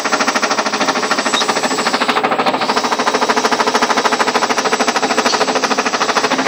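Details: Ariston washing machine on spin with ordinary laundry: sharp, regular knocks about three per second keep time with the drum, a hard knock inside the tub. The machine stands level, does not jump and nothing touches outside. Cause unknown.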